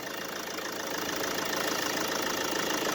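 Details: Mercedes Vito W639 OM646 diesel, cold idle: quick rattling knock about three times a second plus squeal over engine note; loose air-conditioning compressor mount, temporarily fixed by routing a shorter belt past the AC pulley.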